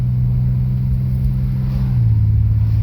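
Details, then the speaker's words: 1987 Chevy Celebrity Eurosport 2.8 V6 automatic while driving: the engine drone holds, then drops in pitch as the 1-2 shift slips and catches, whether driven gently or hard. Third is a little tough and lockup disengagement is rough. Cause unconfirmed. "slipping and catching. Doesn't matter how easy I'm with it or how hard I'm with it, it still doesn't want to shift great from first to second."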